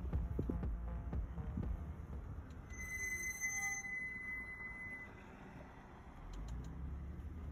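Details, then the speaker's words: Mercedes W221 S-Class slowing on the road: thin high steady squeal for about two seconds over low road rumble; brake pads squeal, an issue since purchase, cause unknown. "Мерс затормозил, запищал, церковь погасла. Да уж, не к добру это все."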